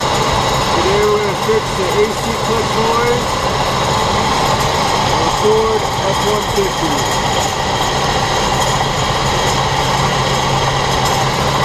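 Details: 2003 Ford F-150 4.6L V8 idling with a rough, steady grinding rattle from a bad A/C compressor clutch and bearing; fixed by replacing the A/C clutch assembly (clutch, pulley, coil).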